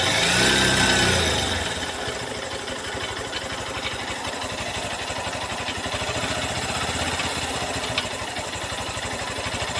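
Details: New Honda CB200X single-cylinder engine near idle with quick, fairly even tapping over the exhaust beat; abnormal engine noise, cause not yet clear.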